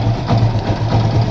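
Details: Yamaha FZ-S single-cylinder, after tappet adjustment fixed the top-end tappet noise: low, steady idle with an even beat and no tapping from the top end; the noise is completely gone, normal idle.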